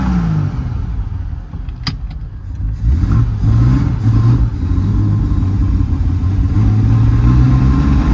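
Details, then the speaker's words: 1972 Triumph TR6 on test drive after timing advanced to about 8–10° BTDC: lumpy, uneven beat as revs rise and fall; fouling plugs at idle and likely running very rich, dashpot air valves suspected of sticking. "okay what I'm going to do is I'm going to change the oil in the dashb pretty sure the pumps the air valves are not opening and closing properly"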